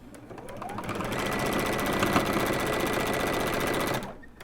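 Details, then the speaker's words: Sewing machine speeds up to a steady stitching run with a thin high squeak over the clatter; machine is dry and needs shop oiling and cleaning; squeak from dry mechanism. "Robin you need to clean your machine and oil yeah you can hear the squeak I know it needs to be oiled this machine"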